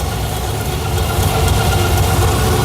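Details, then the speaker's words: Deep, uneven loping idle with a gentle gallop from the big Lunati cam in a 1987 Firebird's swapped .040-over Chevy 350 (202 heads, air-gap intake, Holley 650 carb), engine still cold, heard from the rear where the exhaust is quiet; normal lopey cam idle. "We're going to address that later, but you can definitely hear that cam lobe. A little bit of a gallop to her. Love that."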